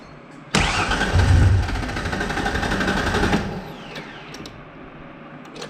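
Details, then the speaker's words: 1994 Mazda B3000 Ranger-type truck after 4.0 OHV engine swap from a B4000: cranks, fires and runs rough about three seconds, then dies; owner thinks it ran on brake-clean spray, suspects lack of fuel pressure, plans to swap in other truck's fuel pump. "Yeah. Now, I think we just got a lack of fuel pressure issue. I'm going to have to take the pump out of that other truck, too. I think that was just running off the brake clean that was in there."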